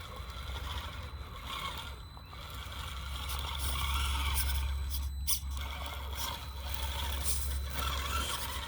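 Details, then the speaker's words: FCX18 K10 brushed-motor RC rock crawler climbing rock: thin, steady electric whine under a low rumble. Brushed motor sounds normal under load. "You hear that brush motor?"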